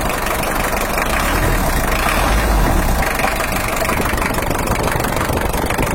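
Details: Toyota Hiace LH-11 diesel, injection pump bracket mounting hole cracked because the rear bracket was too weak, oil pressure low: uneven, lumpy idle with a loose knocking beat about four a second as the shifting pump upsets injection timing.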